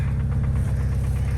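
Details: 1999 Honda Civic EX with a cheap cold air intake just fitted, no catalytic converter and a downstream O2 sensor code: a low, steady petrol idle with a faint regular knock under the exhaust pulses; owner calls it rod knock.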